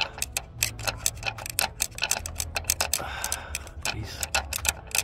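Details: Land Rover Discovery Sport L550 2.0 TD4 Ingenium with loss of power and restricted-performance warning before cutting out: with the engine off, the turbo wheel turned by hand gives sharp, uneven ticking and scraping from a damaged compressor wheel.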